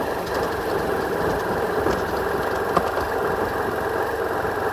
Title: BMW F800R 2018 Rattling-Noise (Rasselnder Kettenschutz)